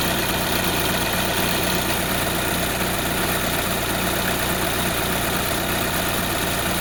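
Car engine idling smoothly and evenly, with no squeal or chirp from the belt drive.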